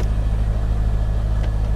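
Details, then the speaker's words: Copart salvage auction car with crash damage, check engine light on: low even idle, steady rumble, no knocks, misses or rattles. Engine runs fine. "sounds good it sounds good where's that hood release there we go"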